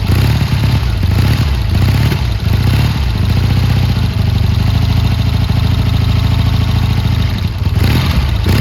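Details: Triumph T140 twin after new carbs fitted and an intake air leak sealed with extra clamps: deep, strong beat holds steady with a couple of light blips, no spitting or hunting. Running normally.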